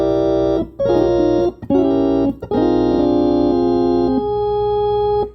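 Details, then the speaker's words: Hammond A105 organ after replacing bad 12AX7 and two 12BQ5 tubes: chords with constant low hum undertone and faint stray extra notes; amplifier fault suspected, unconfirmed; unwanted undertone and extra notes. "like it's always a undertone there all right so I got to take care of that"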